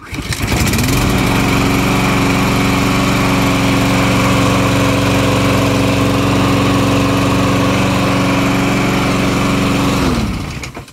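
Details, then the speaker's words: Honda GCV190 on an MTD lawnmower after cleaning debris from the carburetor needle valve that caused flooding, and fixing the automatic return choke: starts quickly and runs at a steady, even high idle with no misses or surging, then shuts down cleanly. "and then once this engine gets hot it starts without needing the choke to be engaged so this mower is ready to be returned back to my customer"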